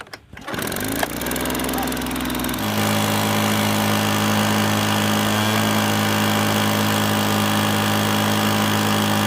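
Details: Echo PB-265LN backpack blower with an inline spark tester: it starts easily and buzzes steadily, then begins stumbling as the spark weakens while running. Bad ignition coil causing misfire.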